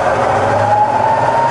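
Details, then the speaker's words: Rebuilt Bridgeport mill, variable speed head, 240V single phase, high range, spindle at about 500 rpm during speed sweep: smooth even whirr, steady mid-pitched tone climbing slightly over a soft low hum, no knocks or grinding; healthy spindle. "okay so moving on we're going to test the the variable speed head now you're just going up and down the spindle range just to let you hear it running that's really about 500 rpm"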